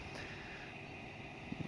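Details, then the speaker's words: John Deere 1025R compact tractor bought new in April, with its engine replaced by the dealer after failing at about 60 hours: quiet, steady hum, even tone, no knocks or misses; replacement engine sounds different from the original and is healthy at idle. "On a good note, though, I can tell you that this motor that is in there now, it even sounds different than the motor I had to begin with. It sounds different."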